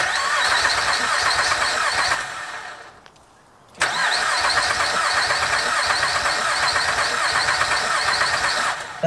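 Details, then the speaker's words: High-mileage 2006 Honda Pilot with aftermarket key, after trickle charge/jump attempts: fast, steady cranking about three turns a second, pause, more cranking that never catches; immobilizer light flashing, believed to be why it won't start. "this is aftermarket key that the immobilizer light is flashing on the dash that's why it's not starting"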